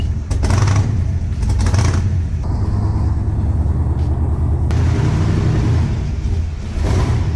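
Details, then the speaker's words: Engine just started and warming up. It gives a loud, lumpy rumble with an uneven, stumbling beat under the exhaust. The owner suspects it is firing on only six cylinders, not yet checked. "I think it's only running on six cylinders right now so we're going to look at that before we put it away"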